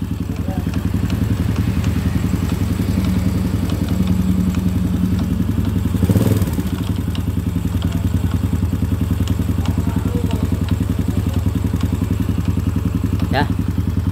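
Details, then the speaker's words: Honda Supra X / Grand motorcycle engine idling: steady light tok-tok-tok clatter, three or four knocks a second, like something loose inside; common fault on Supra, Legenda, Blade, Revo; cause unconfirmed before teardown. Engine ticking at idle. "diperhatikan suaranya jadi tok tok tok tok tok tok jadi seperti ada suatu barang yang longgar ya"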